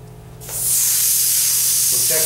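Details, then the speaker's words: Dental delivery unit handpiece drive air check during maintenance: air line opens into a strong, steady hiss holding even; drive air flow normal. "so that's a hand piece and it's very satisfactory we have a lot of water pressure and it stops and we don't bubble or drip very good"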